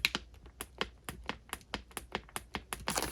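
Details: Brand-new START/STOP push button for a Sea-Doo GTX jet ski gives crisp, sharp, positive clicks about four a second with each press; the old installed button no longer clicks. Normal push button click.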